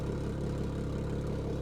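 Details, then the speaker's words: Salvage-auction car with T-bone damage and fresh 0W-20 oil, idling: a low, even, bubbly burble with no misses or knocks, a healthy smooth idle. "kind of bubbly isn't it oh I like this"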